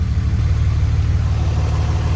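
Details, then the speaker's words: 2006 Dodge Cummins 2500 Megacab diesel after a fuel injection pressure regulator fix, CTS3 tuner and 100 hp injectors, with fuel pressure codes still stored: a steady, smooth, low-rumbling idle with no misses, surging or knocks; idling fine. "well i have to turn off your truck to clear those but is idling fine"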